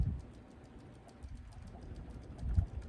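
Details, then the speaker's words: Ceiling fan running with a slight wobble: low hum with occasional clunks and light ticking, a clanking rattle from something loose, such as the light shade or screws; intermittent. "you can hear it's making like a clanking and wobbling sound, like something's loose."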